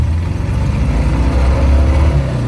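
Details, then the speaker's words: Car driven without spare spark plugs, two cylinders dead from fouled plugs: lumpy, uneven low chugging with a loping, Volkswagen-like beat, no power, running hideous but cooler. "yeah wow that runs hideous hey it runs much cooler now yeah you're not making any cylinder pressure or heat now right no power that's how you fix overheating disable two cylinders"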